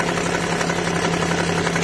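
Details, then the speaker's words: Suzuki Alto small petrol engine idling with a fast, even clatter inside, a strange noise traced to the timing chain tensioner; low oil or the chain pulley cover were suspected first. "Où étais-je surpris par un bruit étrange à l'intérieur du moteur ?"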